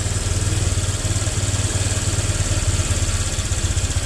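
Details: Honda Vario 125 injection scooter after the throttle-delay fix, with everything reinstalled: steady, even low throb at idle, no hunting or stumbling, revs rising and returning properly; normal idle.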